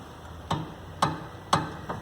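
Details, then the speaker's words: Chevrolet Astra: sharp hollow knocks about every half second as the front suspension is bounced, initially attributed to the worn upper strut mount, before repair. "barulho aqui a princípio no coxim do amortecedor"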